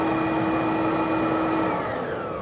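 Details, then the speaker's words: Bissell Big Green Machine spray pump tested with cover off after solenoid/pump troubleshooting: steady motor hum with constant tone while trigger pressed, dropping away on release; pump spins and water flows normally, problem solved. "When you press the trigger, it should spin. That's it. That'll let you know that water's flowing."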